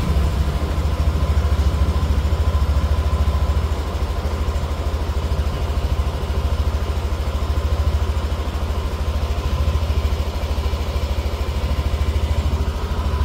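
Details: Yamaha NMAX Neo S on Castrol Magnatec 10W-40 oil, cold engine after about 30 hours unused, warming up: steady, even low putter with no knocks or rattles; normal cold idle.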